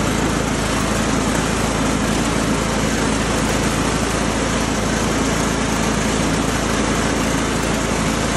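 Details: Cub Cadet HDS 2135 riding mower, Kohler engine, built about 1998–99, PTO working after relay replaced, deck serviced: steady, even drone with blades spinning, no misses or surging; running as it should.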